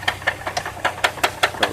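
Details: 2002 Chevrolet Trailblazer: knock started lightly only when accelerating, now about three times harder at idle after an oil change; sharp evenly spaced metallic knocks from the front of the engine; owner suspects a rod. Knock at idle, unconfirmed.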